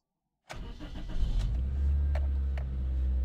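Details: Car that cranked but wouldn't start, after replacing a blown main fuse for the injection computer (check engine light now shows): a short crank, fires almost at once, settles into a smooth steady idle; normal start.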